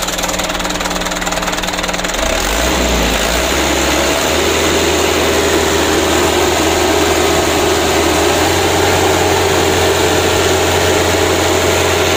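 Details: Mitsubishi Canter diesel after injection pump plunger replacement and pump adjustment: brief rev change, then even clatter settling around 600 rpm with no misses. Normal, steady idle, repair completed.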